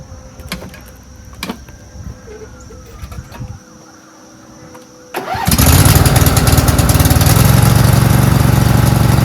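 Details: Briggs V-twin on a DLT 2000 after replacing bent pushrods, both head gaskets, the cylinder head and the carburetor: after a quiet start, a strong, even twin drone holds steady under 48-inch deck mowing load with no misses or knocks. The engine runs well.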